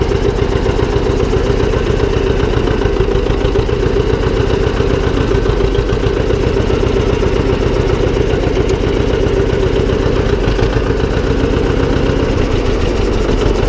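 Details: John Deere 720 two-cylinder diesel tractor, after repair: deep steady chug with even beat, no knocks or transmission noise; healthy idle.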